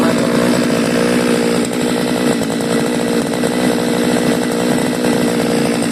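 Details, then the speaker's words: Seaman CG411 two-stroke grass cutter that died on acceleration, after the carburettor needle and seat were replaced: a high, steady buzz with no stumbling or dying under throttle; running normally. "yan yan lakas na ng ikot So okay na to wala pala yung sira"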